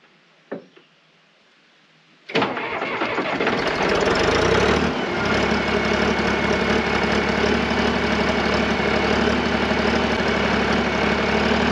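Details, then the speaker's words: John Deere 350B crawler dozer diesel, complete cold start after about 2 days sitting, no starting fluid, same small battery: brief crank, fires straight away into steady even idle about four beats a second; healthy. "This is gonna be a complete cold start. It's been about 2 days since I ran this. I'm going to start it cold, no starting fluid, nothing, just to see what happens."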